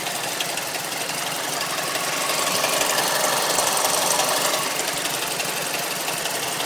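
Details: Mazda3 MPS (Mazdaspeed3) idling with sharp, fast, even ticking about three per second; owner suspects VVT, timing chain or tensioner, no diesel-like sound on cold starts; cause not confirmed.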